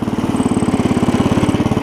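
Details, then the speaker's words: Cub Cadet 70 garden tractor after drive repair, pulling in third gear, which previously did not work at all: even, quick chuffing about thirteen beats a second, steady without stumbling; normal running under load. "I get it in gear there we go now we're cruising oh that's so much better"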